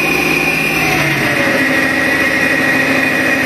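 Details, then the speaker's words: Foton 254 diesel tractor: a steady, loud high-pitched hydraulic steering whine whenever the steering wheel is released; the noise stops when force is put on the wheel while turning. "It's really loud, and if I turn the wheel, it doesn't make noise. As soon as I let go of the wheel, it makes a really bad noise."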